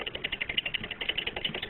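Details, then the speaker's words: RCGF 50cc "b" engine: a fast, light metallic ticking clatter like a sewing machine over a thin buzz. The crankshaft has excess side-to-side and up-and-down play, with bearing glitter inside, pointing to a worn rod bearing and crank journal that need a new crankshaft. "now my crankshaft being that it sounds like a sewing machine um I have a lot more than normal side to side play"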